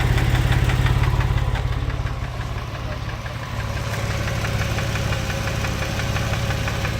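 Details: 2000 Porsche 996 911 with a cylinder 4 misfire, idling: a sharp, steady tick about three times a second from a faulty hydraulic lifter; the fix is replacing the lifters.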